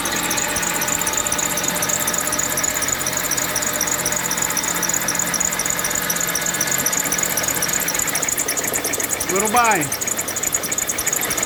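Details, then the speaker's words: Mitsubishi Lancer X at idle, oil sprayed around engine: sharp rhythmic knocking about four times a second from the engine front; crankshaft pulley damper rubber broken causing vibration, pulley bolt backed out hand-loose, pulley replaced. "сняли шкив коленвала резиночка разбитая получилось вибрация болт открутился открутили практически от руки без усилия"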